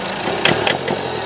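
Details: 2002 Citroen Berlingo HDi diesel idling while Lucas Diesel EGR & Turbo Cleaner is sprayed into the intake: three sharp crackling bursts within a second as the cleaner ignites early and pinks; owner calls the noise horrible.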